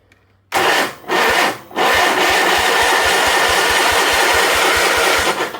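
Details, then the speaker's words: 1976 Sears SS18 tractor that sat 5 years: the starter churns in even beats, roughly five a second, and never catches. A spark tester shows no spark, with ignition points, suspected gummed, to be sanded and filed. "No spark. So I'm going to pull this air cleaner cover base thing off and pull that points cover and just hit them with a little piece of sandpaper, file it a little bit, and then we'll probably have spark."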